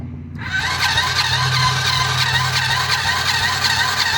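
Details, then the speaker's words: Quad bike with messy wiring cranks slowly and laboriously, about three uneven chugs a second, and never catches; owner suspects the battery lacks the charge to turn it fast enough, possibly dead, not confirmed. "Might not have enough juice in the battery to turn it fast enough. That's what it kind of sounds like."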